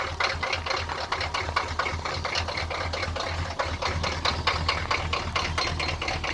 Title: Rusty &Trusty 6.2 Diesel cold start and rough idle